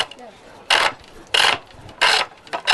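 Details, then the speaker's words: Pole lathe, treadle and rope driven, roughing-out gouge on a split ash chair-leg blank: loud raspy cutting bursts about every two-thirds of a second with heavy chatter on the out-of-round wood. "takes off quite a lot of work quite quickly. And as it gets rounder, you can hear a change in the note of the chisel."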